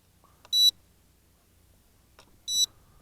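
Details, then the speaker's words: HJ818 Pathfinder hexacopter toy drone fitted with an improved higher-C battery gives two short high-pitched beeps about two seconds apart: flip mode is armed and keeps beeping until a flip command is given. "If you hear that beeping, that means it's ready to flip. And it's not going to stop until you provide a flip command to it."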